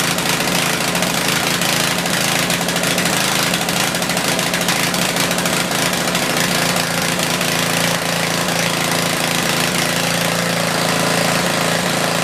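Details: Tecumseh 4,000 W generator with 8 hp engine, sat unused about a year, powering a small drill load while output is metered; steady buzzing run with no hunting, knocking or stalling. Running normally under load.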